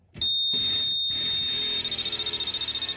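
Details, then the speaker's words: 1989 VW Fox abandoned for years, fuel pump bench-tested with test probe leads: steady high beep about 1.5 seconds then rapid pulses about a dozen per second, pump runs awful; flashing and beeping unexplained. "Oh, it runs awful. I don't know what the flashing and the all that beeping and craziness. I don't know what that means."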